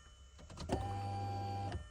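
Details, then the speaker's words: Golf 4 GTI VR6 2.8 after replacing fuel pump and pressure regulator, key-on before closing up: steady low hum about a second then clean cutoff, much louder and clearer than the old pump; healthy fuel pump priming. "Voilà, et on l'entend bien mieux que la vieille."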